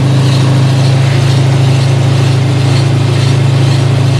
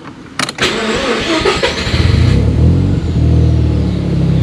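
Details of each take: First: Mazda RX-7 GT-R (right-hand drive, stock rotary with smog pumps) at idle: deep steady rumble with a rhythmic pulsing air noise about four times a second; owner unsure, suspects the AC compressor may be dry or bad. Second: Mazda RX-7 GT-R (right-hand drive), already warmed up: quick crank catches at once, brief rev, then steady low idle under 1000 rpm with even burble; starts right up, runs well.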